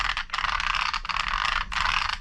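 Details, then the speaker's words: Arrma Infraction Mega RC car converted from brushed to the factory 3S Spektrum ESC and motor; rapid dry clicking and rattling under loud gear whir, cutting in and out with throttle; drivetrain clicking, owner suspects just gear noise, unconfirmed. "but I think it's just the gear I don't know armors are loud"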